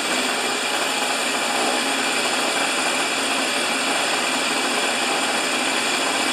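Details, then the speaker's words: Husqvarna snow thrower after governor repair, reassembled: steady even high buzz with no surging or hunting, governor holding speed set at 3800 RPM; runs normally. "so the RPM is set at 3800 uh I saw stuff all over the map from 3600 to 4500 so I think 38 is a nice RPM for this old girl"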